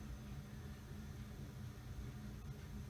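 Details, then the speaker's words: Early-to-mid-1980s Mistral "Mistralaire" ceiling fan with built-in preheat fluorescent light, spinning down: soft steady low hum and airy whoosh, slight motor hum, no bearing rumble or ticking, long spin-down; normal healthy fan running. "still spinning down at least the bearings are good you really can't hear them at all all you hear is the the sound of the"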